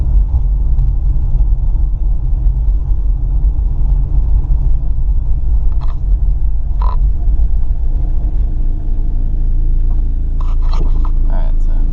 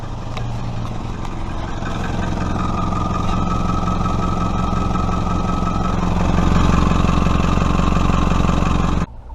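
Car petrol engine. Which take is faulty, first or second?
second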